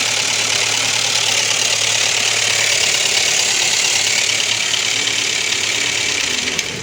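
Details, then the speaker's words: Ford Ka 1.0 Zetec Rocam with oil light on constantly; loud fast tinny clatter at idle with ticking unloaded lifters, timing chain slapping from low oil pressure; broken chain guide pieces suspected blocking oil pickup. "Chique, ó, os tuchos tudo descarregado, a corrente batendo."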